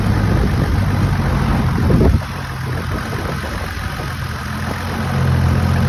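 Diesel idling with an uneven, lumpy beat of about four pulses a second and a dip in level midway; rough idle, cause unclear.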